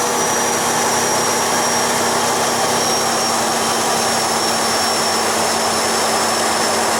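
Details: Freightliner truck diesel, turbocharger replaced the previous night, boost check before a test drive: steady smooth turbo whistle over an even engine note, no flutter or rattle; new turbo spooling and building boost normally.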